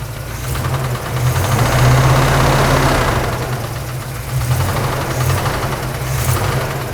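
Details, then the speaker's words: Big-block Chevy 454 V8, about 600 hp build, in a C10 squarebody: deep idle with a loose, somewhat irregular tap three to four times a second over the rumble; cause unclear. "What am I hearing? might have blown your motor up, Tony. That's good. Yeah, you're doing it. We'll tap Let's tap it a little bit. If you want a sweet deal on a 454 that taps maybe a little bit, hit us up."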